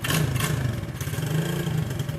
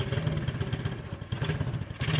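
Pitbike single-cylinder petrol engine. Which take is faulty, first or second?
second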